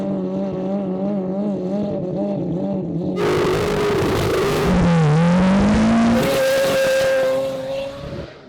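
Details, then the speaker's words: AWD four-rotor rotary car on ethanol during a launch test pass: screaming revs flare and the tyres squeal as it launches. The front wheels are spinning with that much grip, so more power to the transfer case is needed; no diff failure found. "Oh, I think we just need more power to transfer case. They were spinning. They're spinning? They're spinning, yes."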